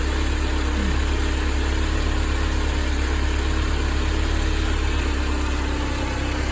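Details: Mercedes-Benz 190E W201 2.0 (M102) idling after replacing belt tensioner, damper, fittings and belt: steady even low idle with no squeal, chirp or flapping; belt not loose, runs smooth and quiet.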